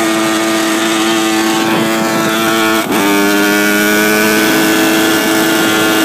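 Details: Honda CR85R two-stroke revved: a flat buzzing note that stumbles briefly and picks back up with no sharp surge, plus a ticking noise; no powerband, and antifreeze is spitting out; cause unknown.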